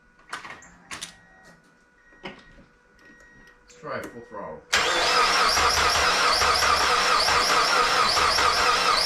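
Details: Mazda Miata after replacing the timing belt, valve seals, water pump and pulleys: quiet clicks, then steady cranking at about two turns a second with no firing. Owner suspects the engine is out of time and rechecks against the crank timing marks.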